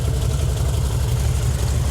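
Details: 1968 VW Fastback with dual carbs, idling after both carbs were synced with a tool, each side reading seven: even, low rumbling idle with a steady beat, no misses or surging; normal balanced idle.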